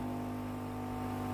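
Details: Philips PSG7014 steam iron brought in for no steam output, power and status lights normal: short, steady buzzing hum at constant pitch as the water pump runs and the tank level drops. Normal pump running.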